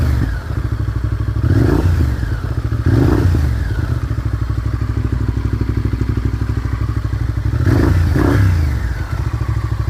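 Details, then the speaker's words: 1998 Honda VTR 1000 Super Hawk V-twin, about 5,000 miles since 2010: lumpy idle, and each quick throttle blip rises briefly then sags and stumbles; bogging on rev, no leaks, valve clicking not present now, cause not stated. "I'll shut it off now so you might have heard when I went to rev it there it was getting bogged down"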